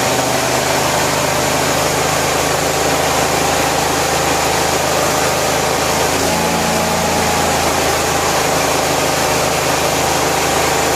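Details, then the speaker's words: 1974 Cushman Truckster after a wiring fix and a cold start with a pressurised fuel tank: a steady, even idle with a smooth, unchanging beat and no knocks or misses, running normally. "well it is great to hear it run again it's been a while glad it runs"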